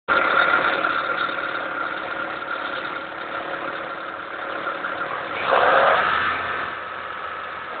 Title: Ticking Sound from the Engine